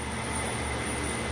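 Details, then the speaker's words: Jet metal-cutting band saw after the drive belt was tightened by moving the motor back: a short, steady, even hum from the motor and belt with no slap or rough note, quieter than its earlier raw sound; running normally. "oh much better look at that and it's quieter i don't have any footage of what it sounded like but it sounded real raw"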